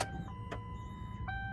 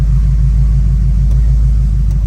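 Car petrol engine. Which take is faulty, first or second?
first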